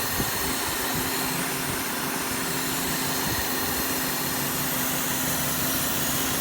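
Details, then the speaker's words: 2005 Cadillac DeVille misfiring badly, probably one or two cylinders: steady high-pitched hiss over idle with A/C compressor switched on to check for a stuck pulley; hissing source not found, cause unconfirmed. "I hear something hissing I want to see if it's got a start compressor don't can probably hear that but there's something hissing"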